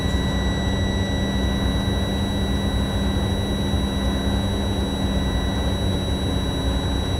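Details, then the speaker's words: Truck diesel engine idled up to a steady raised idle with a constant hiss while building air pressure, after low brake air pressure made the red line pop out and the brake air warning show during a pre-trip inspection; normal high idle. "Now, it's going to build back up. But I can always idle the motor up to build it back"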